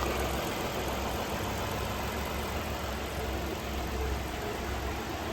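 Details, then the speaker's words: 2016 Ford Explorer 3.5 start-up after water pump replacement, warming up before the thermostat opens: a smooth, steady, quiet idle with no ticks or knocks. "Sounds good. It's just reacclimating everything. We gotta get this thermostat to open. Let it warm up to operating temperature. Look how nice that thing's idling."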